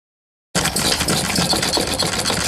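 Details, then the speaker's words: Olds hit-and-miss engine model runs with loud, quick, even chuffing and a light rattle, skipping firing on many revolutions under governor control and firing when it demands power; running normally. "it's a hit and miss engine you can hear there's many revolutions that it don't fire and all of that is control by a governor down there"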